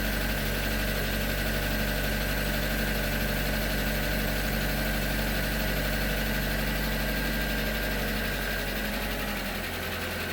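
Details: 2019 Hyundai Tucson 2.0L Nu I-4, 21K miles, full synthetic 5W-30, minor fuel dilution of the oil: a steady tapping about four per second on cold start after sitting 3+ days, gone once warm; source unclear.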